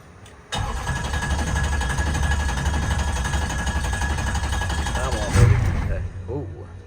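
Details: Diesel truck with a new fuel setup (400s, 8096 ball-bearing turbo) and no transmission, on two jump packs with a dead battery. Starter churns about four beats a second for over five seconds and nearly catches; described as a little cold-blooded. Long crank, no start.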